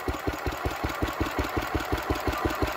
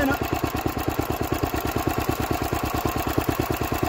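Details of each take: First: Petter W1H single-cylinder petrol engine, run last week, started to belt-start an old Lister D; steady single-cylinder putting at about five or six even, unbroken firing beats a second; normal running. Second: Old Lister D stationary engine, first run in 40 years after belt starting from a Petter W1H; slow, heavy single-cylinder thumping about three beats a second, slightly uneven firing; rough running.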